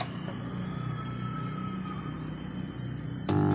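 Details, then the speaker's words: Power amplifier being built on an SOC 506 kit: after a balanced input kit is fitted, a steady low mains hum appears and jumps louder near the end; with the balanced input disconnected the amp runs quiet and clean. "Nah, jadi di dalam power amplifier ini ketika kita pasang input balan [musik] timbul noise dengung seperti itu."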